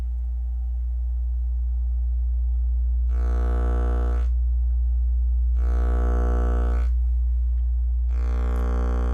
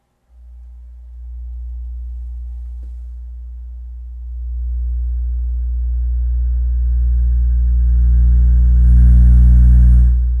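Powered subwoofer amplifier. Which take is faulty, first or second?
first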